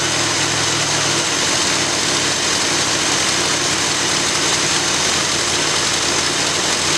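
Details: After rebuilding the Edelbrock carburetor on a 1965 Ford Galaxie, steady, even idle with a smooth unbroken exhaust note and no misses or stumbles; owner says it sounds like it's breathing a whole lot better.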